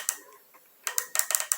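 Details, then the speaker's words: HHO hydrogen injection car setup, injector bench-pulsed with clamps after being freed from sticking by reversing polarity: sharp dry even clicks, about five in under a second; injector now opens and closes freely, whereas a stuck one stays silent. "Então esse bico ele tá solto aparentemente ele tá solto tá ele não tá mais travado mas esse barulhinho tá fazendo movimento quando ele tá travado ele não faz esse barulhinho"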